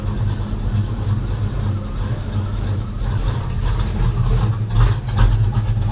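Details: 1985 Chevy C10 short bed bought non-running, new starter fitted, oil topped up: deep, steady V8 rumble with even beat and no knocks or squeals, running cleanly at idle.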